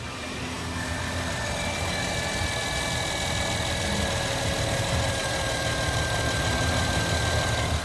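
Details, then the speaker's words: Honda Pilot at idle: a thin electric whine that rises when the accelerator is pressed. Unplugging the alternator connector stops the noise, so the diagnosis is a bad alternator. "when vehicle is at idle makes electric sounding worm noise sound increases when the accelerating pedal is depressed acceleration please check in advice"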